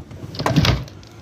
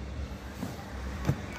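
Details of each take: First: Renault car door gives a short double 'tak tak' knock when opened instead of smooth travel; likely the door latch needs lubricating, and the noise stops after greasing it. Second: Renault car door after lubricating its door check latch. The door swings open with only soft clicks and thuds, and the earlier "tak tak" noise and creak are gone.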